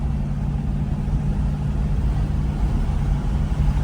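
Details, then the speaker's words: 1976 Ford Thunderbird big-block V8 cruising on the highway at 55 mph. Deep, steady rumble holding an even note with no knocks or rattles: normal cruising. "We're bombing going 55 miles an hour. You hear the exhaust sounding good."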